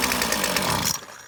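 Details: McCulloch T55 CLS line trimmer with fresh fuel and confirmed spark, fuel poured into the cylinder: it runs at a high buzz for about a second, then dies instead of idling. Owner suspects a blocked carburetor jet or a loose part.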